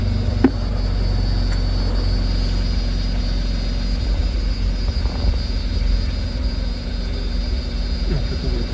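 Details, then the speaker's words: Tata Nexon after fuel pipe replacement, started to check for leaks; steady low idle hum, even and smooth with no misses or knocks; normal idle. "चालू करून बघूया. याचा आवाज येईल मोटरचा पहिला. झाली, चालू झाली."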